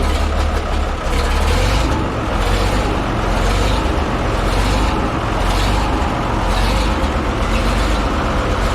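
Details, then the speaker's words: Minneapolis Moline A4T diesel tractor started easily without bleeding lines and idles with a steady, even chug, no misses or knocks; return diesel line not in tank. Normal idle. "But anyway, nice thing is that started so easily. It did."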